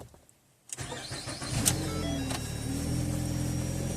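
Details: 2012 Ford Fusion with intermittent no-start, after replacing the instrument panel, reprogramming keys and mileage and clearing codes: brief crank, engine catches cleanly and settles into a steady even idle with no misses or knocks.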